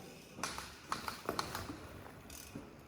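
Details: Rockshox ZEB Ultimate 29in 170mm fork on a Commencal Meta AM 2021 Team, after two rides: short dry creaks and clicks in uneven bursts as the fork compresses; bolts tight, brakes ruled out, cause not found.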